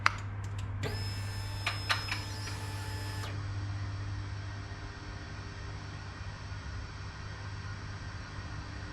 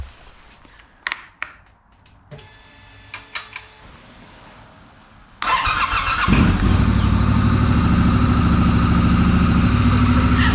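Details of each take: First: 2019 Triumph Scrambler 1200 at key-on, no start: a thin high whine from the engine body for a few seconds, then a low hum, with the check engine light on. Owner wonders if it's the fuel pump. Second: 2019 Triumph Scrambler 1200 twin starting after an earlier dead no-start: brief clicks and starter whir, then it fires cleanly and settles into a steady, even idle, healthy. It is left to warm up.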